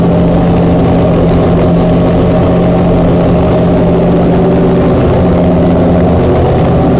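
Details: Chrysler 440 Six Pack triple two-barrel carburetor V8 after replacing a damaged center carb gasket beside the power valve: deep, even idle, steady low drone, no misses, knocks or hunting.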